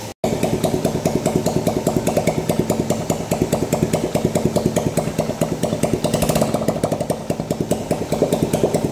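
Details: 2010 Yamaha Jupiter Z single-cylinder: harsh rattling clatter about twice a second, steady with speed, worst at mid revs. Clutch ruled out and a bearing suspected.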